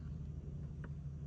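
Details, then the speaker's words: BMW E90 335d diesel after fuel filter and fuel heater replacement, in-tank fuel pump run through diagnostics to fill the empty filter, engine off: a low, steady, even droning hum. Normal pump operation; the car did not start afterward. "the intank pump is now doing stuff."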